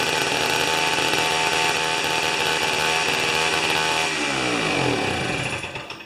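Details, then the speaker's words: Old restored two-stroke snow thrower, door open, mixture set just on the rich side of smooth: loud, buzzy dirt-bike-like run steady at high revs, then winding down smoothly; healthy, slightly rich. "My God, it is a noisy little devil. So anyway, I set it just on the rich side of smooth."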